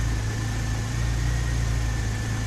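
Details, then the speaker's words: Porsche 996 Turbo, cold start and idle after replacing the fuel pump relay: smooth, even cold idle with a steady low rumble, no skips or stumbles. Earlier cylinder 3 and 6 misfires appear cleared. Starts, runs and drives fine with no engine light. "the engine is cold and it looks like the misfires have completely cleared up i mean i'm looking at this and it starts fine it runs fine it moves fine"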